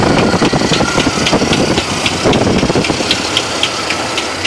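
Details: 1970 Chevrolet Malibu small-block 350 idling with sharp, hard metallic knocks about three to four per second, like hammer blows; loud engine knock being located.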